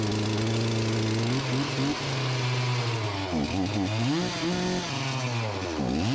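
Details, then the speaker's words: Farmertec MS361 clone chainsaw after top- and bottom-end rebuilds, running with a new piston that broke a chunk off its skirt: revs hang high, then dip and surge instead of settling to idle; erratic running and no idle from damaged piston skirt. "that that you just saw is not a good example of running right the current symptoms are that it revs too high and it doesn't idle"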